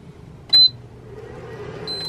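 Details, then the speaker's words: Giandel 1200W pure sine inverter (2400W surge) installed in a Rav4 Prime trips on overload immediately with a roughly 1700W air fryer load: two sharp high-pitched beeps about 1.3 s apart over faint hum. "overload all right it did it didn't run it at all all right guys oh there you go oh and overloaded again okay okay okay I'll plug it immediately it immediately overloaded"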